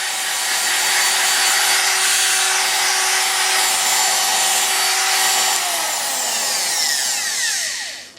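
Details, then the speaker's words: Ryobi TR-31 router after repair (the bad, slid-down bearing keeper likely caused make-and-break brush contact) with top back on, shaken during test: steady high whine, then smooth wind-down at switch-off with no crackle or stutter; motor healthy. "sounds good now the reason I was shaking it is it makes sense when the bearing of keeper in this case was bad"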